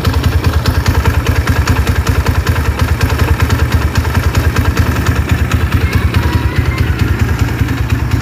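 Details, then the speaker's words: Honda GL100 single-cylinder idle with uneven knocking "jeglok" clatter on the beat, caused by excess play in the clutch housing gear teeth after fitting a new smooth clutch housing. "suaranya itu ada jeglok-jegloknya itu dikarenakan dari Gigi house koplingnya mas"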